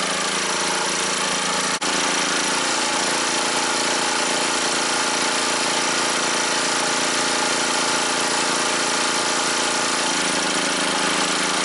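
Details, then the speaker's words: Revived scrapyard generator with two loads plugged in: dense, steady, strained roar with rough knocking edge; engine labouring at or beyond maximum load. "like she's working pretty hard I guess it's working right at its maximum"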